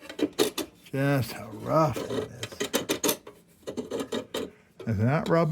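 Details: RAYO No. 65 hot blast lantern under restoration, rusty with air tube issues: gritty rasping scrape with short squeaks each time the wick knob is turned; wick raiser binding and rough.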